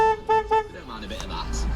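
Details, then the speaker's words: 2016 Volkswagen Caddy after replacing a faulty clock spring that disabled the horn: three short, clear horn blasts, each a steady bright tone with crisp start and stop, horn now working normally. "Now we got horn working. How good is that?"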